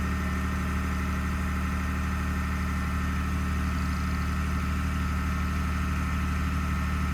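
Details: 2021 Ford F150 PowerBoost, remote cold start at -16°C, parked: loud steady droning grind with constant low hum over idle, a click heard, seemingly when something starts pumping; occurs only at -11°C and below, source unidentified.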